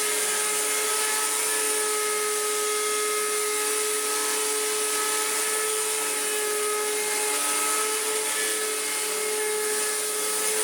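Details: Electrolux Z1910 Self Propelled vacuum after restoration, powered up after reassembly: harsh steady high-pitched whine with coarse rough edge; owner thinks bearings are shot, having only greased them with a drop.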